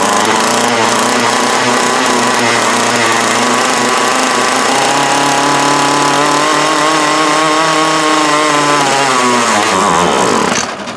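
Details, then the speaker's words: 2004 Craftsman 32cc curved-shaft trimmer, 20 years old, with new fuel lines and fuel filter, old carburetor with a stuck needle: buzzy two-stroke howl wavering unevenly in pitch before dying off; runs but rough, carburetor the suspect. "Well, no, it ain't out of gas, but so we know it runs. It's not happy, but it runs."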